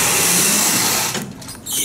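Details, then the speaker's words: 1980s Otis hydraulic elevator in a parking garage: the car door gives a harsh hissing scrape for about a second as it slides, dragging on something, cause unknown; door scraping noise. "like getting scraped I don't even know what's wrong with it"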